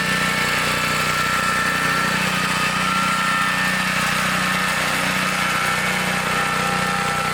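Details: 1960s Bolens Lawn Keeper 28-inch riding mower, cutting deck raised: even, steady small-engine drone under cutting load, constant pitch, no surging or knocking; runs healthy.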